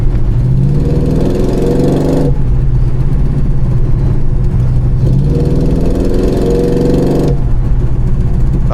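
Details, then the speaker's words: 1969 Pontiac Grand Prix V8, warm at 180° with 40 psi oil pressure at idle, rising twice under light throttle: deep rumble with a raspy puffing edge from a driver's-side exhaust leak, more audible once warm. "can definitely hear the exhaust leak. It's coming from the driver's side here."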